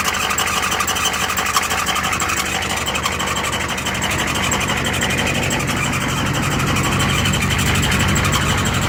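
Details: Used Ford ZF5 S5-47 transmission, countershaft with .006" endplay: busy, raspy whir with a thin high squeal over the drivetrain, caused by the rear countershaft bearing race spinning loose in the case.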